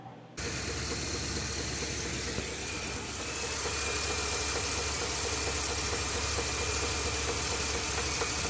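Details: Ford F250 7.3L Godzilla gasoline V8 after the dealer supposedly fitted an oil pump, leaving oil pan bolts out. Quick, persistent tapping knock that rises with revs; serious internal knock, truck towed back and given a new engine.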